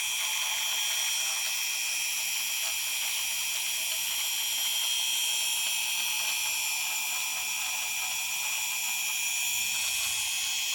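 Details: Xnova 2204 small brushless motor: high-pitched buzzing whine with a gritty, ratchet-like rattle throughout; cause unclear. Abnormal ratcheting noise.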